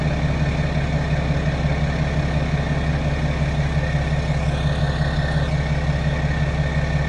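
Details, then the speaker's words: 2016 BMW F10 535d diesel, 26,000 miles, just after fuel filter replacement and manual priming: took a second or two to start with a little air left, then steady, even diesel clatter at idle, normal. "it didn't start up like right away like it normally does. It took, you know, a second or two. So I mean, it still had a little bit of air, but luckily it wasn't too bad."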